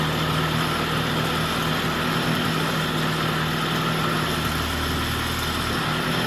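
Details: Vintage Jacobsen two-stroke greens reel mower, just revived with oil in cylinder and extra oil in fuel, old spark plug: steady even idle off choke, no misses, knocks or hunting; normal idle, governor still unsorted.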